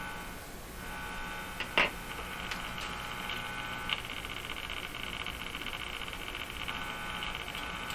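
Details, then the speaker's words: Mohawk Model 1240 five-tube radio during RF alignment: a steady thin buzz over speaker hiss with a couple of clicks; buzz probably coming from a clip lead. "except the buzz is probably just coming from this clip lead"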